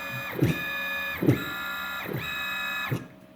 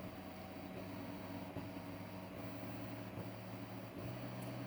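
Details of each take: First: Open-loop stepper motor under rag-applied load: whine breaks up with periodic thumps, starting to lose steps at 190 inches per minute, then stalling completely around 270 in/min. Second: DMM DYN2 servo (57N-DHT-A6TD1 3Nm motor, 2000 pulses per revolution) on CNC axis, speed ramping toward 120 inches per minute; low even hum, faint steady tones, no roughness or hunting; quiet, smooth, jumps around far less on the table.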